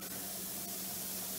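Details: Pressure canner loaded with jars of potatoes on high heat, venting steam for 10 minutes before the regulator weight goes on. Even, unbroken steam hiss with no sputtering or surging. Normal venting.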